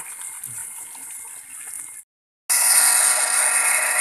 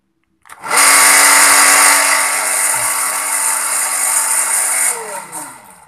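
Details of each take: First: Sanyo PWH 135 water pump after repair (had weak suction and rough, noisy running; cause given as worn bearings): seal no longer leaks, motor runs smoother, steady even rush of water with strong flow, no grinding. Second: SANYO PWH 135 water pump, old, with weak suction; motor starts with a harsh, gritty roar and steady hum, then winds down. Rough, noisy sound caused by a worn bearing, recorded before opening for service.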